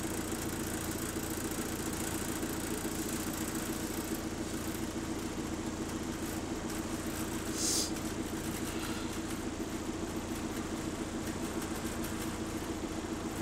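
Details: ABL bus 2509 (HV24) on route 109, diesel idling with a loose, uneven rattle repeating about twice a second over a steady hum; a turbo problem is suspected, not confirmed. Rattly idle.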